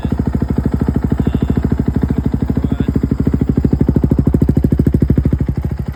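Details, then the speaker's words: 2011 KTM 350 with 40 hours on the meter, fixed after a no-spark no-start caused by a failed stator, with fresh oil and coolant; crisp, even single-cylinder firing at a steady fast idle with no misses or knocks: runs cleanly. "but yeah, it runs pretty good now."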